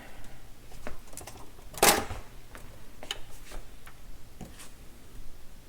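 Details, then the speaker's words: Garrard M50 turntable after repair of the automatic function: irregular light clicks and ticks with one sharp clack as the arm cycles and moves into position; auto mechanism indexing properly. "yep it appears that it moved it into position all right cool"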